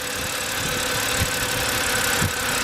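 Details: 2007 BMW 328xi E90 at about 140,000 miles with stalling and codes P0012 (camshaft timing over-retarded bank 1), P13B4, 2A82, 2D67 and 578E: uneven idle with a dull thump about once a second over a steady hiss, engine visibly shaking. VANOS solenoids were cleaned; cause remains unresolved.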